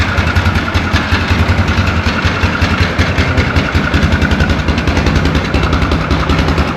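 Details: 2004 Yamaha Grizzly 660 single-cylinder, old, after no-spark repair and oil change: even thump about two to three beats a second, steady; normal idle, though carb cleaning and valve adjustment suggested.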